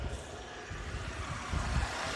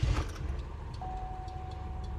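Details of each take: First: 2003 Oldsmobile Alero 2.2L Ecotec, after fixing cylinder 1 misfire by replacing the ignition coil assembly (plus plugs, boots, controller): low, steady idle with no stumble or shake; running smoothly. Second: 2003 Oldsmobile Alero, 2.2L Ecotec, at idle before repair after a sudden shimmy and power loss: lumpy, uneven thumps under a warning chime and the whole engine tremors by hand. Code shows a cylinder 1 misfire.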